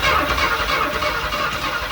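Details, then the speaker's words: 1966 Mustang on a lift, started by bumping the starter solenoid terminals with a screwdriver after sitting about 5 years, open exhaust; engine catches after a short burst and settles into an even run. Easy, normal start. "That was pretty easy to start up. So she's definitely starting up."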